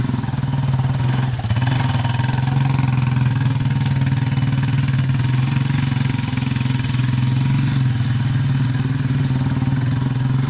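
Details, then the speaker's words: 2001 Yamaha Warrior 350 ATV single-cylinder, just after a short ride: steady clatter ticking over the engine, following engine speed, knocking badly; owner first suspected the timing chain. "all right so just took it for that little ride as you can hear it's knocking pretty bad um it does sound like it might be the timing chain i'm not 100 sure"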